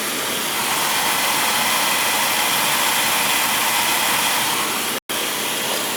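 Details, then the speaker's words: Oil boiler burner that was tripping on safety, after bleeding the pump, new filters at tank and burner, new Firomatic valve and new nozzle: even steady roar, no pulsing, sputter or dropouts. Normal burner operation. "Alright, she should fire right up now."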